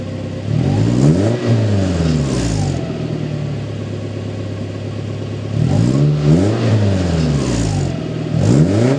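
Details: Toyota Tacoma 2.7L 3RZ after installing a 2-inch ID Thrush glasspack in place of the stock muffler, rev test: two clean blips with a deeper, throatier exhaust tone and no rattles or knocks; normal exhaust note, not that loud.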